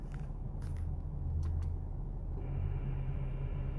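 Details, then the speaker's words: 1998 Toyota Camry, engine running: switching the AC on brings a low steady hum and rough drone that stops when AC is off; owner suspects low refrigerant, unconfirmed. "Yeah, so something's going on there with the AC. Um Now, Google says that it's because the refrigerant probably needs to be refilled."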